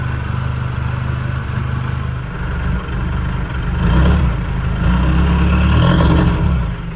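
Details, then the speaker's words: Mitsubishi Pajero 4M40/4D56 diesel just after a fuel filter change, with the filter not pre-filled: uneven, wavering clatter at first, then settling to a steadier idle; rough idle from air in the fuel system. "Okay. So, she ran a little rough for a while, but now it's running good. Um, obviously there's air in the uh system"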